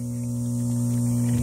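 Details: Whitewater DF series aerobic septic system after replacing the charred timer with a new Intermatic 24-hour timer: steady even low electric hum, no clicks or grinding; pump running normally, sprinklers spraying.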